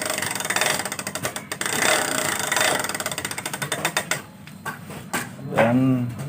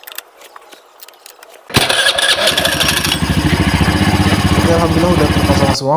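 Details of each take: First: Honda Vario 110 FI scooter in for CVT service, rough noise: fast dry clicking as the front wheel spins freely, from a worn front wheel bearing; front end wobbles and steering head bearing is also badly worn. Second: Honda Vario 110 FI scooter after CVT service (cleaned, rollers, spring spacer, worn CVT bearing temporarily shimmed): starter catches quickly, then steady even idle putter with no knocks or rattles: normal start and idle.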